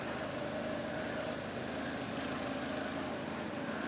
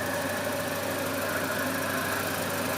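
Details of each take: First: Volvo 240 first start after months off road for water pump, timing belt, thermostat, B cam, new shims, Redblockpowered ECU/EZK and mounts; no leaks, smooth idle with even exhaust pulses and no misses; owner does hear a small exhaust leak. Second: Volvo 240 first start after months off road with new water pump, timing belt, B cam, shims, ECU: steady warm idle with faint fast tick and thin whistle; owner suspects exhaust leak, maybe fan.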